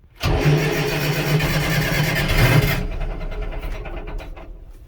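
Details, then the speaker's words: Allis Chalmers 6080 tractor after an overhaul, started and heard from inside the cab. Brief crank, then a hard clatter settling to a rough idle, very loud and echoing inside the cab: a normal cold start, with cab noise the owner plans to fix. "Yeah, so anyway, that's at idle and it's this loud in here. It's just everything, and it's all up here. You just hear it echoing all over the place."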